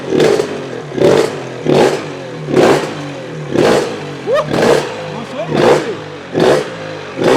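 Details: Honda RS 125 GP two-stroke, started for the first time in 20 years after its carburettor was cleaned: sharp, crisp blips roughly once a second, each revving up and dropping back cleanly.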